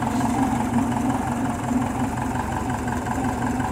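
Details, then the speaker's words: Engine after converting from generator to a 75-amp alternator, possibly flooded from carb syncing: slight belt squeal at start, then steady even idle with smooth low putter, no knocks or misses; normal idle, belt a little loose. "okay there was slight squealing but it wasn't that bad I've heard worse okay it's running pretty good"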